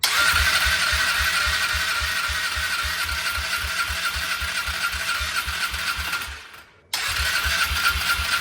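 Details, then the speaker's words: Polaris Trail Boss 325 four-stroke ATV, probably 2004, parked 12 years, after setting mixture screw about two turns out: single-cylinder idles steadily at about four pulses a second, even beat, one brief dropout before settling; normal idle. "Hey, it's sitting there idling. You must have done a good job. What's happening? It's finally running."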